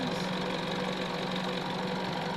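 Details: Isuzu D-Max common-rail diesel idling with a hard, knocking clatter and slightly uneven beat while engineers diagnose engine misfires.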